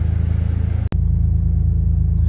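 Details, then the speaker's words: 2000 Ford Ranger, warm after running with the temperature gauge at the middle, after a makeshift wired-up fix of the muffler and catalytic converter flanges: deep, even exhaust burble at idle, no rattles, blowing or popping; sounds healthy. "Oh, it even sounds good too, doesn't it?"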